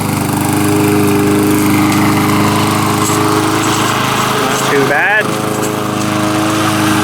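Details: Lawn mower brought in as a no-start, now running: small single-cylinder engine holds a steady, even pop at fast idle, no misses or surging; not loud despite a loose flopping muffler; blade needs sharpening. Normal running.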